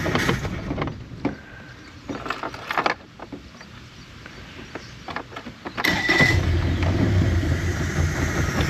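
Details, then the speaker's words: 2017 Mercury 90 hp four-stroke Command Thrust outboard in six-beep guardian mode: catches late, settles into uneven shaking idle about four pulses a second; rough running from faulty idle air control valve, later replaced. "What happens if we just try to fire it up? I wonder if it's put, yeah. Still shaking."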